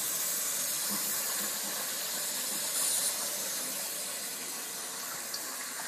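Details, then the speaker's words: Two-zone baseboard hot water heating system being bled, with pressure raised to under 30 psi and then read at about 11 psi: a steady, strong hiss of trapped air rushing out of the loop, with no water sputtering yet. "yeah I can hear the air coming out of this thing yeah it does it just"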